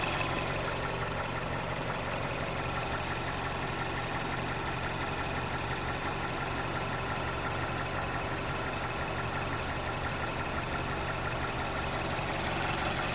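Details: 2011 Mazda CX-7 2.3 turbo four at idle: faint, uneven fast tick of roughly three per second riding over the hum; abnormal engine noise, source not pinned down.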